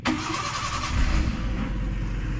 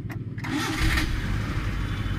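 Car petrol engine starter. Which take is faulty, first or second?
second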